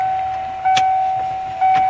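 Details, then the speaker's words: 1996 Ford F350 7.3 L Powerstroke diesel after conversion to an electronic fuel system with a frame-mounted pump: a steady mid-pitched hum under light clicks as the pump pressurizes the system, fuel going through the pressure regulator before cranking. "I'm going to test pressurize the fuel system now you hear fuel going through the field pressure regulator"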